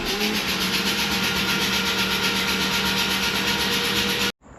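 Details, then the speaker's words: Freshly rebuilt Mazda RX7 FC 13B NA rotary, first 5-10 seconds of cranking with spark plugs out: even whooshing pulses about four per second, all equal strength; compression through the plug holes sounds healthy. "Cuz from the first crank that we did, the first like I don't know, it was 5 10 seconds, the compression sounded healthy."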